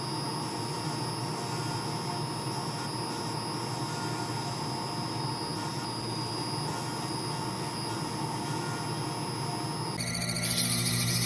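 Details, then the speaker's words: Wood lathe turning a pen blank: steady high-pitched squeal over the running hiss; owner believes the bearings in the live center are going out and plans to replace it. "apologize for the squealing noise you're hearing in the background I believe that the bearings are going out in my live Center so we're gonna have to replace that soon because uh just don't want to listen to that squeal every time I turn"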